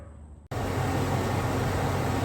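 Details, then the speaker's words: 2001 Chevy Suburban 5.3 V8 with automatic, donor engine before removal: after brief quiet moment settles into smooth even low rumble, no ticks or knocks; runs well, healthy idle. "the engine sounds good this is the last time it's going to run in the suburban"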